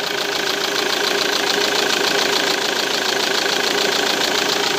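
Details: Diesel engine with a Delphi pump, checked using an in-vehicle pressure gauge: steady, even idle clatter with no misses or stumbling; supply pressure around 55 bar, judged very good.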